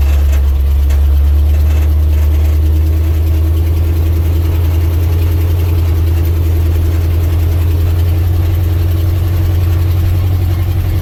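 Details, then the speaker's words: 1967 International 1200 truck after carburetor rebuild, moving out on a rainy day: deep, even, steady rumble with no misses or knocks, running like a sewing machine; normal idle. "just running like a sewing machine since that carvery but rebuild"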